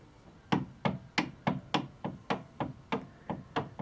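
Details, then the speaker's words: Atlas 9-inch lathe, tailstock unlocked and rocked by hand on the ways: sharp even knocks about three a second, visible movement that shouldn't be there; loose tailstock play the owner has had since day one. "I mean, you can hear it, but I bet you if I zoom in, I bet you can even see it pretty clearly."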